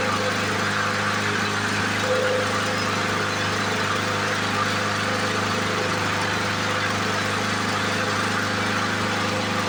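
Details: 1977 Ryan commercial bricktop mower, stored for decades, run again with makeshift wheels and handle: a steady, buzzy two-stroke drone at even speed, no misses or knocks. Normal running.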